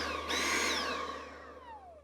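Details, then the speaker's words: Dyson cordless stick vacuum on a Milwaukee battery adapter, tested with a non-original vacuum head: motor whine jumps up sharply then sags lower in pitch over two seconds, vacuum motor surging, cause unknown. "it started what I would call surging have a listen to this nice okay that's not expected hear that"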